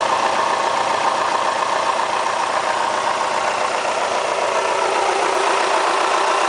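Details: Kia Spectra petrol engine, 90,000 km mileage: a dry, fast, even ticking clatter over a steady idle makes it sound diesel-like. The owner asks whether it is critical; the cause is unclear.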